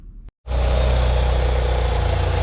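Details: Mitsubishi Eclipse GS-T (2G) after cam seal and valve cover seal replacement for an oil leak, with the AC belt added: the engine catches and settles into a smooth, even run with a steady low rumble and no ticks or knocks; sounds healthy.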